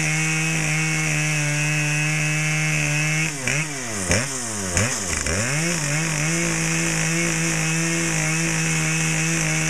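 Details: Brand-new Dolmar PS-7910 chainsaw, full wrap, 28" Sugihara bar, LGX chain, factory carb settings, second start and a little warm, cutting wood: high steady buzz that dips and recovers cleanly as the chain bites; strong and healthy under load.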